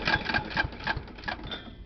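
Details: 1996 John Deere JX85 mower, sat in storage, started by cordless drill on the recoil: quick sputtering pops, three to four a second, fading within two seconds as it catches then dies; badly rust-corroded carburetor, fixed by new carburetor and gaskets.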